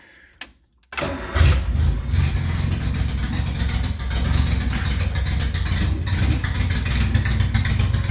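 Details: 1975 MG Midget at start of a rebuild, in neutral; engine catches and settles into a loud, deep, blatty unmuffled rumble like a hot rod because the exhaust pipe has come apart underneath.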